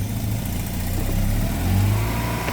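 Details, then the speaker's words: Mazda RX8 rotary, with misfire returning and circuit-high codes for the MAF and intake air temperature sensor: with the MAF unplugged, idle rises and runs smoother without misfiring, pointing to a bad MAF sensor. "revs up, doesn't misfire at idle."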